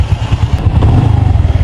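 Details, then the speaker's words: Honda Revo FI single-cylinder motorcycle after engine overhaul for low compression, just started: low soft exhaust pulse at steady idle, no ticking or knocking; smoother and quieter than before, though idle setting still needs adjustment. "Nah untuk sekarang mesinnya jauh lebih halus daripada sebelumnya ya Ini Bunyi pat ya untuk dari suara knalpot juga lebih ngebas dari sini juga Beh lebih senyap sekarang ini motorah"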